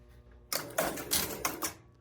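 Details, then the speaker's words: Strato-Flight electromechanical pinball machine, first power-on before any work; coin lockout heard, then sharp relay clatter and mechanical clicks as a game starts and scores. Sounds healthy. "Seemed like it started a game to me. Hit a button. Yeah, we're scoring. Hey, that is excellent news."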